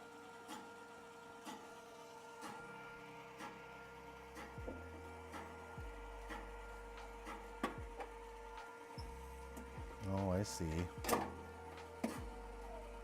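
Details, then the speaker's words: Skywalker V1 coffee roaster during refurbishment: a dull clunk about once a second with the drum's rotation over a faint motor hum; the back of the drum is probably not attached well and likely needs redoing or replacing. "so that clunking noise is probably the back of the B back of the drum not attached well"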